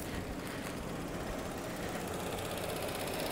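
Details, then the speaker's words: 2012 Chevrolet Cruze 1.4L turbo Ecotec, warm idle: fast light ticking from a failing EVAP canister purge solenoid; the noise stops when it is unplugged and returns when reconnected; replaced with AC Delco part 55573017. "i'm gonna let you hear that it stops making that noise you see the noise stops if i reconnect the power it comes back so that part's bad"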